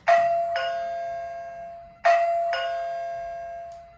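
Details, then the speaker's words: LRA-DCRXS plug-in strobe receiver just paired to two wireless push buttons, white button zone 1 tested: two clean ding-dong chimes about two seconds apart, each fading evenly; receiver paired and chiming properly. "Now we're going to test it out. I should hear the ding-dong sound for the white push"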